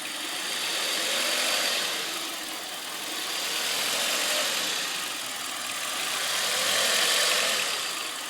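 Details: 1998 Audi A4 B5 (code P1545): idle surging from 1400 down to 800 rpm, rising and falling about every three seconds over a hissy note; cause unconfirmed.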